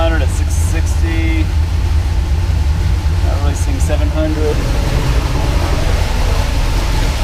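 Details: 1976 Pontiac Trans Am twin-turbo big block with solid roller cam on Microsquirt, after fixing 2000 rpm idle: about 600 rpm, short of the desired 700; low even idle, steady throb, no stumbling or hunting; idling much better.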